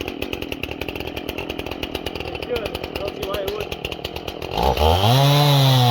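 A fast, even chatter of about three pulses a second as it bites, then the engine climbs freely; the saw pulls well under load.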